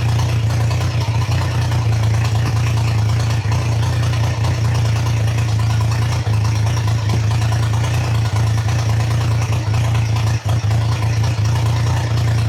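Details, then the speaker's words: Triumph Trident T150 triple, first start, choke open, idle screw being wound up, carbs not yet set: steady low thrumming idle held fast with slight dips; owner notes the recording sounds stranger than in real life. "It is getting closer to the point where it can tick over, so I'll wind it up a little bit more and then warm it up and start to adjust the carbs, I think."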